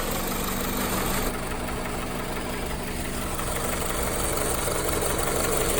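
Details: 2001–2005 Honda Civic LX, strange engine noise when accelerating: steady engine note with a light, fast rattly chatter on top, from a worn-out timing belt tensioner.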